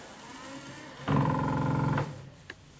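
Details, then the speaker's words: ZAZ Tavria/Slavuta windscreen wiper sticks in left position with crackling: one-second burst of low, rough, straining hum with buzzy crackle, won't return unless pushed lightly; worn wiper gearbox gear. "Có thể thấy rằng anh ta đang nói ầm ầm và không muốn quay lại. Với áp lực nhẹ, nó quay trở lại,"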